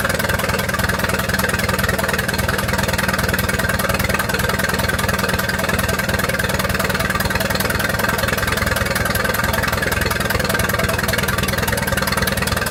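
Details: 1928 Farmall Regular tractor, idling after carburetor tweaks, timing advanced about halfway: an even, steady putter at about 200 beats a minute with no misfires or clatter. Smooth, healthy normal idle.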